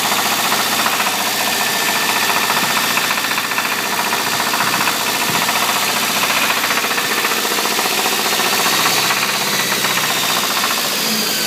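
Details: Toyota 22RE petrol engine running with a steady, sharp knock of about four beats a second; cause unknown.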